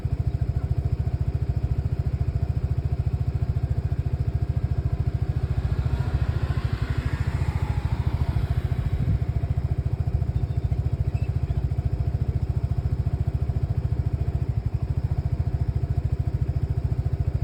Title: 2 Lexmoto Nexus 125cc Faulty Misfiring